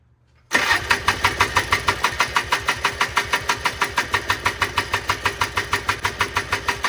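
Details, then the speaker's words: 1995 Polaris Trail Boss 250 two-stroke, crank-no-start, choke pulled: sharp regular popping about three times a second with violent backfire, sputtering and struggling to run; cause unknown. "oh wow that is a violent backfire okay so we got problems what it is I don't [Laughter] know"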